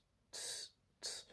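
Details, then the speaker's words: Bicycle wheel with a slightly buckled rim and a new tyre, spinning: two short, sharp swishes about 0.7 s apart, once per wheel turn, as the rim catches the brake pad; slows the bike slightly. "But, if I can get it looking good, and that's just very slight on the bike wheel, I think it'll be fine. Doesn't affect use, really. It just slows the bike down just a tad, and you hear the"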